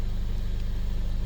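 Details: 2015 Mercedes-Benz CLA250 after crank-no-start with low fuel pressure codes P008700/P1CCF00: idling 600–800 rpm, fuel pump module wires at 2.23 V; low steady even pulse, nothing irregular; normal idle.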